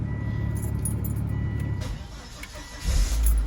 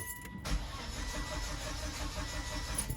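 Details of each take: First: 2006 Volvo XC90 just started after a fuel filter change (the first in about 8 years), possibly still unprimed. Low, uneven rumbling idle with a brief surge; the rough running is still present, cause unknown. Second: 2006 Volvo XC90, which had a rough-running engine, being started right after a fuel filter change. The starter cranks steadily for about three seconds without catching, as expected while the empty new filter fills.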